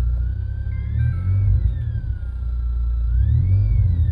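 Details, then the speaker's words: Thin alternator whine through a car stereo rising and falling with engine speed as the engine is revved, appearing after a second amp was added to the subwoofers; stops when stereo power is cut, before fitting a ground loop isolator. "i accelerate i don't know if you hear that whining noise that's coming from the alternator so that's what this ground loop isolator is supposed to fix"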